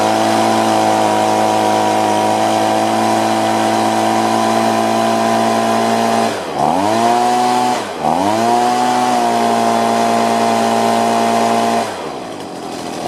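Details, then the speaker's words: Stihl BG50 two-stroke blower, previously hard to start and losing power, after quick high-side carburetor adjustment: clean, steady high-RPM scream with only a couple of brief dips; running good and steady. "I just gave a quick adjustment on the high side, and now it's at higher RPMs. It's running good and steady."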